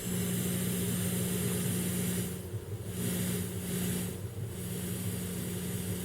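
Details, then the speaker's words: Realistic SCT-34 cassette deck with hum in the left channel on power-up: steady low mains-type hum under light hiss eases off and it runs quiet and even; capacitor reforming or dirty record-play switch suspected. "is this hum starting to go away is this a capacitor reforming"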